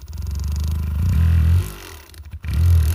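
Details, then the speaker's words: Percussive massage gun (cam-and-piston motor, two 18650 cells) at lowest setting, head pressed under load: motor buzz speeds up and rises in pitch, then drops, suggesting current or rotation sensing; normal load response. "it revs up so it's got uh either over current sensing or it's got uh rotational sensing"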